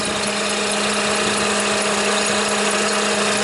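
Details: Toyota Highlander (2007 per description, 2003 per speech), idling: a steady fixed-pitch whine over a rough idle. The battery is dead and alternator output has dropped from about 13 to 11 volts; the alternator sounds bad and is failing.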